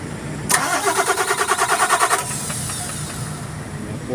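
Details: Tadano crane diesel engine hard starting: starter churns in an even chug for nearly two seconds before the engine fires and settles into idle, slow to catch.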